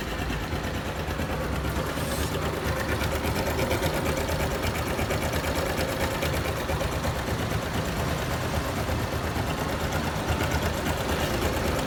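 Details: Honda Super Cub JA44 at 57,291 km: fast, busy ticking rattle like a sewing machine over a steady small-engine idle; abnormal engine noise being addressed, cause not clear.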